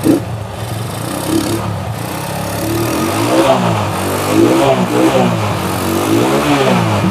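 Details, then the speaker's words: Honda Megapro single that lost spark and died after 50–100 m, tested with its CDI (broken wire suspected): revs up and down cleanly several times with no misfire; CDI still works; normal revving. "Oke ternyata CD ini masih mampu untuk gitup"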